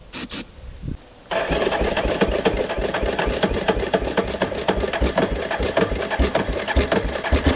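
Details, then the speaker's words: Moto-4 Big Bear 350 ATV that sat in the woods for years, started on starting fluid with a new fuel filter: the single cylinder holds a fast, busy tick with no throttle input. Idle is far too high from a destroyed throttle cable. "now I told y'all that idle was pretty high really high idle I may have to modify that cable sooner than later"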